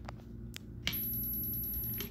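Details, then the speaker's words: RC car brushless motor on the bench, no spur gear, ESC start power set to 15% with zero throttle: a few light clicks, then a thin steady high-pitched whine while the motor fails to turn; start power too low. "you can hear the esc or the motor trying to turn over but 15 isn't enough to do so"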